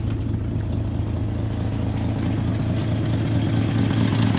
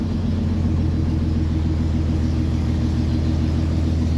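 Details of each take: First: C30 engine idling after timing was set, slightly choked and warming up after a flooded restart, with no cooling system connected yet: even, steady low rumble with a smooth regular beat and no knocks or misses; idling cleanly. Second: C30 just after start on choke, cooling not yet connected: a steady low idle rumble, slightly uneven and hunting; the carburetor, which has only one low adjustment, runs lean and needs richening.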